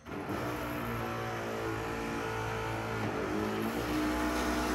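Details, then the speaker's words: 1964-66 Ford Thunderbird convertible top, after adjusting the upper back panel limit switch: even motor hum rising slightly in pitch as the top cycles, trunk lid lifting only after releasing from the screws, no clunks or binding; normal, smooth operation. "The trunk lid should not start to lift until after it's disconnected from the screws. See, that was a perfect fluid movement."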